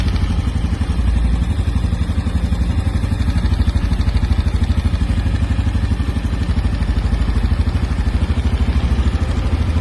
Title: Nova Honda Biz 125 ano 2025 BARULHO NO MOTOR !!!